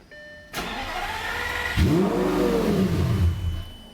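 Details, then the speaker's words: Lamborghini on an aftermarket standalone ECU, reverted to the flex-fuel tune, in neutral: starts, flares to about 3,000 rpm, hunts roughly and immediately dies when given a little gas; runs poorly and stalls. "so it starts up goes to 3 grand and then immediately dies if I give it a little bit of gas"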